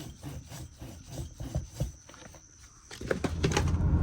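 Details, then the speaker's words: 2014 RAM 1500 old left front wheel bearing spun by hand after removal: rough, rhythmic scraping rasp, hard to turn and catching instead of a smooth whir; worn bearing, the cause of the driving noise. "The bearing should spin smoothly and steadily, but if you try to spin this one, it's hard to turn, but also it gets stuck. That's the noise I was hearing."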